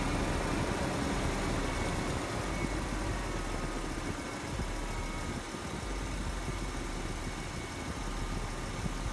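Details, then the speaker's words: Chevrolet Silverado started to locate an exhaust manifold leak, suspected on the driver's side, with no visible leak spot. A steady idle carries a faint, quick puffing tick over the engine hum. "So what we're going to do is we're going to start up the truck and then see if we can find where it's leaking."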